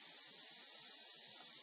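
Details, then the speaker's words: Home central heating radiator with the heating off and the system draining through a hose at the drain-off point; bleed nipple opened with a radiator key gives a steady soft high-pitched hiss of escaping air as the radiator empties. "Then you open the bleed nipples on each of the radiators with your radiator key, and you can hear the air"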